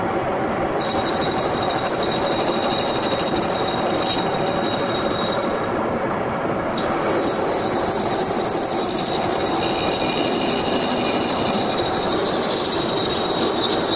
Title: Need Replace Rear Wheel Bearing Sound